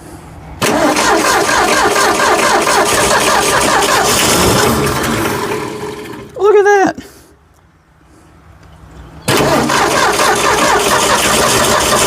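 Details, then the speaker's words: Old Ford F100 pickup, engine previously seized, now freed and being fed from its tank through the carburetor. It catches and runs ragged for a few seconds, fades and dies, then catches again; it fires but won't keep running. "ah so close so much better than it was though yeah I think it's going to run"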